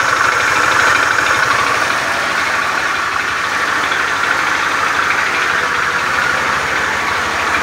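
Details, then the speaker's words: Honda Beat FI scooter idling with rough starter and a loose, uneven clatter about three beats a second over the hum; rough engine clatter, mechanic attributes it to a worn, damaged connecting rod. "motor Beat FI starter kasar keluhan motor motor suaranya kasar pada bagian mesinnya"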